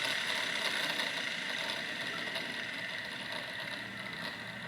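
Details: Wilesco T115 steam turbine at about 1.6 bar with drive belt removed: high airy whir and steady whistle fading slowly as the rotor coasts down freely; long spool-down shows very good bearings.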